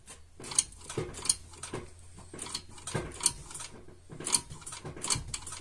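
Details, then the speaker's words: Lada Vesta rear drum brakes after new shoe replacement; pulling handbrake makes quiet crisp ratchet clicks in bursts as self-adjuster takes up slack, clicks stop once adjustment complete; normal drum brake self-adjuster clicking during adjustment. "щелчки уже не слышно у нас уже закончились там нету Это говорит о том что у нас полностью регулировка уже прошла"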